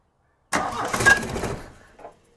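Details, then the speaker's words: Mk1 VW with M-TDI swap and Bosch VE pump, throttle stack fully removed and lever held with vice grips: starter spins about a second, engine never catches and winds down; crank no-start from incorrect injection pump lever position. "Okay, it doesn't even start. Still doesn't start."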